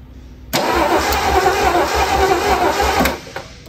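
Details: Ford Bronco Sport parked 30 years, starter and solenoid just fixed, spark plugs reinstalled, cranking: steady starter cranking at about three and a half turns a second for some two and a half seconds, never catches; coil has power; crank no start, cause unconfirmed.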